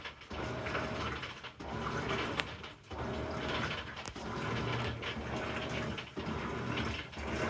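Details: Amana NTW4519JW3 washer bought new in July 2023 and still under warranty, during agitation: a dry, crackling rasp on each agitator stroke about once a second; the source is unknown.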